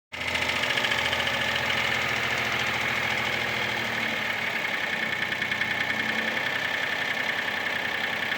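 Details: Mitsubishi Space Star at steady idle: hollow, uneven metallic clatter, roughly three to four knocks a second, from piston slap.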